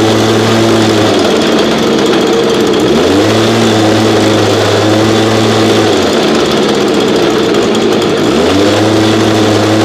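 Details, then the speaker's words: Old backup two-stroke unit that sat about 8–12 months, cold start around 30°F on ethanol-free fuel without stabilizer: buzzy note sags and recovers every few seconds, surging instead of holding speed; rough running, owner hears blown bearings, suspected carb issue. "okay so runs pretty rough honestly this is why i don't use this unit here"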